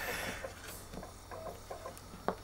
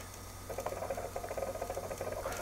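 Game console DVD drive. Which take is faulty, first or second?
second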